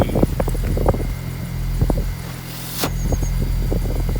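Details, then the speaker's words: 2002 Mini Cooper S at idle after replacing the exhaust system (exhaust box had broken away): steady low, even rumble with no rattle or blowing, sounding a lot healthier; a few handling knocks on top. "Happy? Sounds a lot healthier. Yes, does sound a lot healthier."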